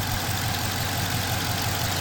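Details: 2020 Dodge Charger Police 5.7L HEMI V8 core engine, about 110,000 miles: deep steady idle rumble with a slightly uneven stumbling beat from a cylinder 1 misfire, code P0301; otherwise runs strong and doesn't overheat.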